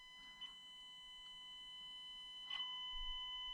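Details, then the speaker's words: Stock ESC in an otherwise stock SCX24 1/24 micro crawler, on the slowest of three speed modes: a steady, piercing high-pitched PWM whine over a faint motor hum, as with all the stock ESCs tested; low-speed modulation is better than most. "i'm now on the slowest of this three speeds hear the annoying noise as in all of them"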